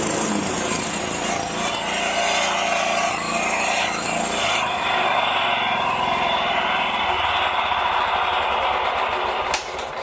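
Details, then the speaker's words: Scag 36-inch commercial walk-behind mower four-stroke gas engine, low 60–70 PSI compression, after oil change and maintenance cured a lifter knock: runs at steady, even speed with no ticking or knocking, smooth and healthy. "Yeah. It's good. No more noises. And it runs really smooth."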